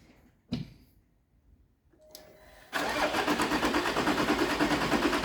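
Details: Jaguar XF S 3.0 diesel after replacing injector washer and seal to cure chuffing and cabin smoke: cranks, catches and settles into an even, steady idle with no chuffing or knock; normal idle, fixed.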